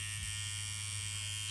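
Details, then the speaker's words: KillerBee tattoo machine being run in after build, voltage dropped back: steady buzz with thin high whistle that returns as needle pressure is unwound and needle sits too far behind the tip; whistle stops once needle is set right. "And so now when I unwind the pressure off the needle, that noise starts to come back again."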